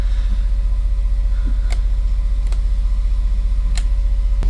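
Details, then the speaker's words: Westerbeke marine diesel generator on a boat, slowly overheating after 45+ minutes, after a cooling system flush and failed capacitors replaced, now correct voltage: steady low drone with an even pulse, loaded with AC, no knocks or misses. "Let's load it up. We'll definitely use some AC here. We're also now putting out the right voltage since the capacitors failed the last time here."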